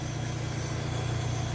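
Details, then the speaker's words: Fiat Fiorino 1.3 8v Fire, after repairs (hydraulic leak, exhaust manifold, temperature sensor): steady, even low idle with smooth deep hum, no knocks or misses; mechanic notes faint spark plug wire snapping. "Olha, ela já está funcionando."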